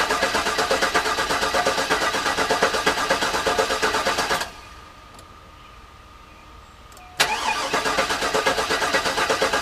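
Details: Garage-rebuilt GM LS engine in the car, first start attempt with the fuel pump not working: steady cranking, a pause, more cranking with no catch. No oil pressure, and the owner suspects the oil pump was never primed. Crank, no start.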